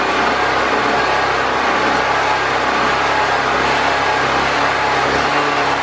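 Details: Predator 4000 generator after fuel and carburetor troubleshooting, with air box and air filter reinstalled and still on old oil: an even, steady drone with no surging, misses or hunting. It runs consistently.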